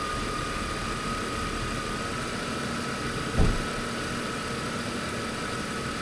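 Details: BMW E46 with M52TU engine, just after replacing the DISA valve: steady, even petrol idle with a faint constant hum and one brief thump midway; sounds healthy and settled.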